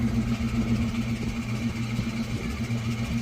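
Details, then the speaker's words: 2000 Ford Mustang GT, abandoned, first start after a transmission install. A steady whirring whine sits over a rough, uneven idle, pointing to a worn throwout bearing. "well something's not right down there that's good it's always good to have bad parts"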